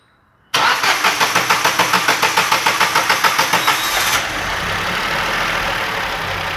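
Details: Ford Ka with 1.0 three-cylinder engine, after repair of a second-cylinder problem and timing sync, with expansion tank replaced: quick even cranking for about three seconds, then a smooth steady idle with no knocking; normal start.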